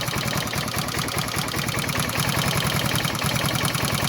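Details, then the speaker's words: Barn-find 1978 Honda XL250 single idling after new timing chain; fast, even light ticking over the idle from the loose intake tappet, no cam noise and no deeper knock; tappets left loose and still to be adjusted. "No cam noise, just the tappet."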